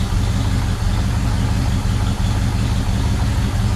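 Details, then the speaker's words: 1974 International pickup, sat for years, with its float bowl primed with gas and Seafoam added, and transmission fluid about a quart low: deep, slow, slightly uneven idle that keeps running only with vise grips holding the choke closed. "well got the old uh vice grips on the choke so see if we can keep it running long enough to check the transmission fluid"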